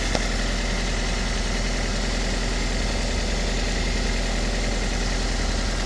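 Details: Toyota Aisin MMT robotized gearbox after repair of knocking 3rd and 4th gears (synchronizer replaced, shims added under gears): steady, even low rumble with no knocks, clunks or grinding; normal idle.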